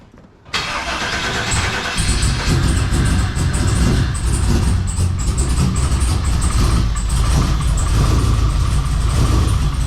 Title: The LQ4 408 Stroker Swapped Trans Am is Down! (Dead Injectors, Running on 4 Cylinders.. Chevy P0200)